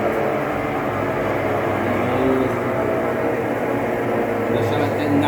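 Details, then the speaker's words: Consul Facilite 11 kg washing machine in spin: loud, steady roar with droning hum from a worn tub bearing and leaking seal (retentor). "ela tá fazendo um barulho muito alto nesse caso esse barulho aqui já é o vazamento da parte do retentor"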